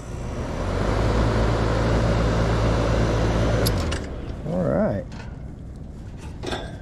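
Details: Outdoor AC condenser whose compressor started but fan did not, after a capacitor fix: steady low hum with an even motor tone for several seconds, then winding down; the condenser fan now runs normally.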